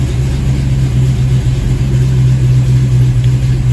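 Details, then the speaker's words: '87 GT with hot crank-no-start and surging idle, IAC suspected; cold start catches within seconds and settles to a smooth, steady idle of about 900 rpm (previously 750), air-fuel near 14.7: normal cold start idle. "all right so just a few seconds in it started right up the idols come down to about 900."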